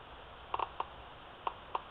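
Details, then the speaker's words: Laptop speaker tested with an analog multitester across its white and black wires, reading about 4 ohms: sharp, scattered crackles, about six clicks in under two seconds as the leads touch, meaning the speaker is good. "If you hear that crackling sound, if you can hear that, that means your speaker is good."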